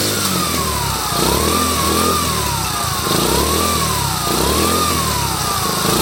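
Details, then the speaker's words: Honda Trail 70, hard to start, carburetor already rebuilt, revved: an intermittent supercharger-like grinding whine rising and falling with revs, from one side of the engine. "Sounds like a supercharger. So, basically, I just got to start tearing it down so I can figure out where it's coming from."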